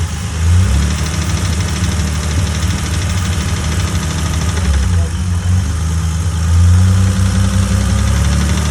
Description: This is what a spun bearing sounds like in a BMW M20. This is only the beginning of it however, and as such not much damage has been done, but it will get worse over time if not resolved.